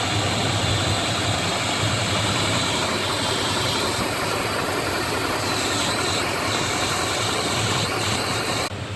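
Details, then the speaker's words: 2002-2007 Dodge Ram 1500 4.7L V8 just restarted after valve cover gasket replacement: steady even idle, smooth rumble, no ticking, knocking or misses; healthy. "Oh, so it's looking good so far. Don't appear that we've forgot to hook anything"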